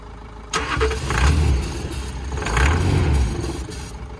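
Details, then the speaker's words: Cheap Range Rover diesel with fuel disconnected, started on ether: starter cranks about four beats a second, then engine catches and revs briefly, running quietly, confirming diesel starvation — no-start from fuel supply fault. "There we go. It runs, and it's actually a very, very good quiet engine. So it's definitely diesel starvation."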